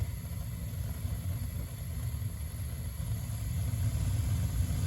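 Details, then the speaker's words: Slant Fin Galaxy gas-fired steam boiler, about 40 years old, after replacing failed Honeywell intermittent pilot spark ignition module: steady, deep, even roar with no flutter or puffing; main burner lit and burning normally. "And we got main burner. Sweet."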